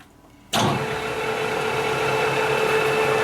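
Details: LeBlond Makino lathe spindle starts abruptly, then a steady, even mid-pitched hum with a faint whir held at 359 rpm; smooth, healthy normal spindle running.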